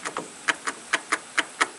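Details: Troy-Bilt Pony 42-inch riding mower, Briggs & Stratton single-cylinder: on turning the key, sharp regular ticks about four per second with no cranking behind them; the key only clicks and the engine will not turn over.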